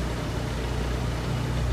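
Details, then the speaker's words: 1996 Mitsubishi Lancer Evolution IV GSR (JDM import), heard from outside the car at idle: smooth, even low rumble with a steady beat and no ticks or knocks. Owner calls it super clean and quiet. Healthy turbo four idling normally. "super clean sounding motor super super clean you can't even you can barely even hear it when you're when you're in the Drive-Thru you don't hear it at all"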